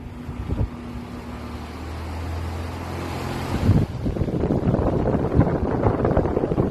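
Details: Goodman outdoor AC unit installed October 2023 with a hard start kit, switched on from a Nest thermostat: low steady hum, then a sudden harsh rattling roar as the compressor kicks in, staying rough and loud; abnormal startup noise, cause unknown.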